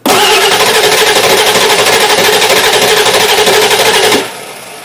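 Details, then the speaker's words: 2000 Ford Excursion 7.3 diesel, hard cold start, oil filler cap off during cranking: uneven cranking rhythm with some strokes weaker; significant compression loss in at least one cylinder, with cylinders 3 and 8 low. "listen to the cadence in the engine when it's cranked you can tell that there's this significant compression issue in at least one cylinder"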